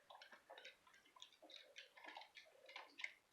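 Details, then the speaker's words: Treadle sewing machine with a 237 head, after cleaning, dusting, oiling and gap tightening to cure a clunk: light even ticking about twice a second, no heavy clunk. Much quieter though slightly stiffer; normal quiet operation. "now it's much quieter but it's also a little stiffer so I'm not unhappy"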